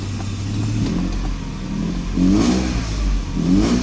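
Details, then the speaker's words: 1995 Mercedes S600 with a faulty E-gas throttle actuator computer: with the pedal floored, the engine revs in short, weak, sluggish surges and rpm is unsteady. The throttles activate briefly, then go dead, and the clicking stops. "sluggish pick up and i'm pressing it on the through the floor gas pedal there as you see it is extremely sluggish rpms are not steady so there's clearly a problem there the throttles do not work correctly"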